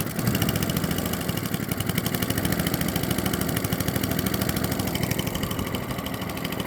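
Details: Atco Balmoral cylinder mower, not run in nine years, after manual carburetor main jet and emulsion tube cleaning: fires on first pull, quick even popping from the small single-cylinder engine at steady pace with no misses; normal running.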